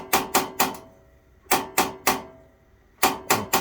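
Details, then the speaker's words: Atwood RV propane stove with auto-ignite: burner turned on to purge air from the propane lines, and the igniter gives sharp dry clicks in bursts of three about every 1.5 seconds before the flame lights; normal igniter clicking. "this is an atwood stove this one has an auto ignite if you don't have an auto ignite then you're going to use a lighter to do this"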